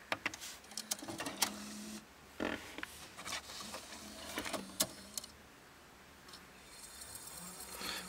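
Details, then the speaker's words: Mercedes W211 Audio 20 CD head unit: disc goes in, then uneven clicking and clattering with short motor whirs; disc mechanism noisy while playing, cause unknown and fix unknown. "No to znowu ustawienie najgorsze właśnie jest że słychać Po prostu płytę jak hałasuje"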